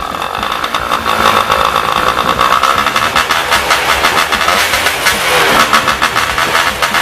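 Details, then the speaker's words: Yamaha Y110SS two-stroke after cylinder boring and new piston rings: idle still unstable, rpm surging and sagging instead of settling; carburetor likely also blocked, then removed for cleaning. "Now its problem is the same as before, idle speed is still unstable. It is very likely that its carburetor is also blocked."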